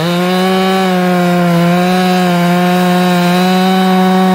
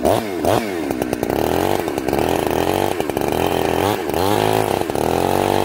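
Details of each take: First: Chainsaw restarted after carb tuning: holds a clean, steady high-revving scream with no hesitation or four-stroking; a properly tuned saw pulling well. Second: Chainsaw, warm, carb set very rich: revs sag and burble unevenly, blubbering in the cut instead of screaming clean; four-stroking from an over-rich high-speed jet.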